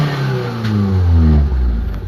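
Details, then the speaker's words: Mitsubishi Lancer 4G13, previously hard to start in the morning with low power: engine now catches quickly and revs cleanly, settling to about 850 rpm idle without hesitation; normal start and rev. "Ayan mga bossing mabilis na siyang umandar."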